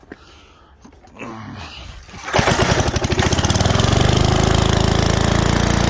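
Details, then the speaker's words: 1978 Billy Goat Winro leaf blower, 5 hp Briggs points engine found in trash, starts after a few pulls and settles into a steady, even chug with no misses on very little oil; runs normally, carburetor and points cleaning possibly next. "Now, I don't want to run it anymore on that little bit of oil, so it's amazing that it ran. Actually, didn't sound half bad either."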